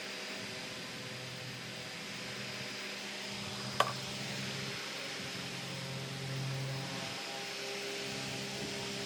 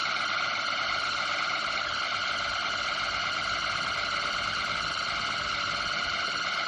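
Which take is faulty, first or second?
second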